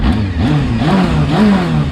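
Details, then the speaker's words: Honda Hornet 600 after service and setup, revving: revs rise and fall smoothly over two seconds, no rattle or ticking, runs evenly and healthily; normal revving. "zdrowo równiutko idzie Nie ma co udało się go ustawić dość fajnie nie szeleści nie stuka troszkę w ciągu słychać Ale którym nie słychać Także naprawdę fajnie chodzi"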